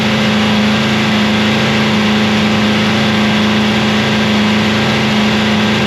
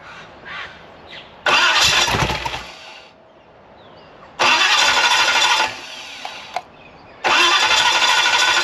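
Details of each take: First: Free 327ci Chevy V8 after cam and lifter swap, held at raised idle for break-in; steady, smooth fast idle, even hum, no ticking or knocking. Normal running. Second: Free 327ci Chevy V8 after a cam and lifter swap, valve lash backed off to a quarter turn of clearance: three loud cranking bursts each catch briefly and die; it fires but won't keep running; it later ran at three-quarter turn clearance.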